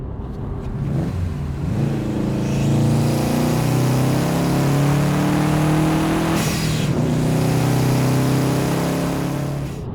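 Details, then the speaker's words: 2015 Subaru WRX STI, EJ257, manual AWD, third engine rebuild after coolant-in-oil failure, 107 miles on it: pulls cleanly with smooth even exhaust note, no knocks, oil and coolant levels good, no check engine light; normal acceleration. "It's fun. Sounds good. It's like the perfect manual all-wheel drive daily winter car."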